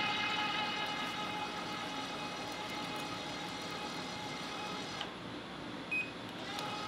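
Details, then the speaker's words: Electric tapping arm with rigid tap holder (no clutch) and spiral flute tap cutting 3/8-16 thread: steady even motor hum, constant high tone, no grabbing or chatter; normal tapping under power. "so super easy to tap it like I said I could definitely adjust that clutch even heavier on this one it has no problem doing it"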